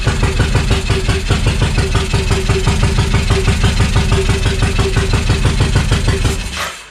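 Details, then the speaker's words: Suzuki Intruder VL1500 V-twin that sat for years: a loud, lumpy, uneven thumping for about six seconds, then it sags and dies. It only runs with the choke on, and dirty carbs are suspected. Starts are improving and it now fires on both cylinders. "so it doesn't want to run without the choke being on so that's a good sign that the carbs are pretty shitty however it's getting better and better as I go here with the startups"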